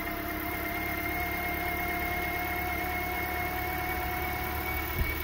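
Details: 2010 Toyota Corolla 1.8 L 2ZR-FE inline-four after an alternator replacement and a welded repair to the port on the radiator neck: a smooth, even idle with a steady hum and no knocks, ticks or squeal.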